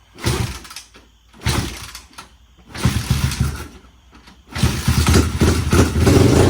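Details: 1992 Honda TRX250X quad, formerly seized single-cylinder engine rebuilt, first run with valve covers off and oil spraying: catches and revs in repeated bursts, settling between blips, firing cleanly on its own; normal running.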